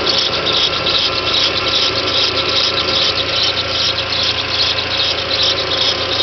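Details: 1.8T on cold start after sitting overnight, right after timing belt, tensioner and water pump change: high raspy chirping squeal about 2.5 times a second lasting 3–5 minutes; seized small timing belt tensioner idler bearing, not cam sprocket.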